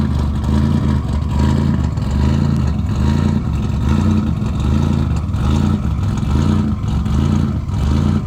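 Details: Car after installing RJC V-band exhaust gaskets to fix exhaust leaks: deep, loud, lopey idle with even rumbling beat, no ticking or puffing from the exhaust joints; sounds sealed, running normally.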